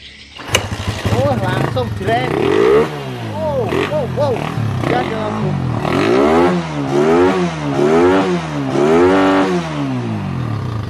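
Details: Suzuki Satria FU motorcycle, previously hard to start with limited revs, carburetor worked on: catches at once, then crisp throttle blips, revs rising and falling cleanly with no stumble; runs healthy.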